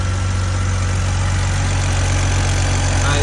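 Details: 2002 BMW 330Ci inline-six after intake manifold work with X5 valve and upgrade parts swapped over, first start with a check engine light: steady, even low idle without misses or hunting; runs properly, possible squeak to check.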